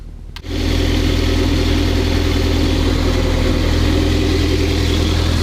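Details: MR2 Spyder after replacing a muffler with a broken internal baffle with a Top Speed resonator: engine catches and settles into a steady, even exhaust drone with no buzzing or rattle; exhaust now tight, though pipe touches the catalytic converter pipe.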